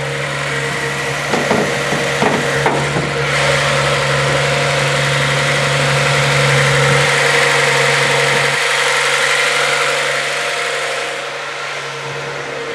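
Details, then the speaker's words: Cold Z car with T-tops just started in the morning after recent work: a steady, mid-pitched idle sitting a bit fast. The owner suspects the cold start valve running rich is the cause and expects it to drop when warm. "t that these cards are supposed to run rich because of that cold start valve so that's probably why it is i doing a little high right now I'm sure once it warms up a little bit more well start to not really have that issue"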